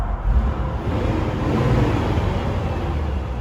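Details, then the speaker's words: 2001 Jeep Wrangler Sahara 4.0 after replacing the TPS; idle no longer bouncing around 500 rpm, now back up where it should be: steady, even low rumble with no hunting or stumbling. "sounds really good comes right back down to where it's supposed to i think that was the fix"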